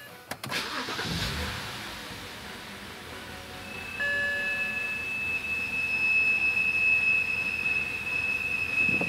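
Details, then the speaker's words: 2006 BMW 330i at cold start: a loud, steady high-pitched whine from the rear of the engine in front of the transmission, not the tensioner or idler pulley, with a rough idle; fine once warmed up. "this is a 2006 330i with a really bad noise on the engine bay cold startup"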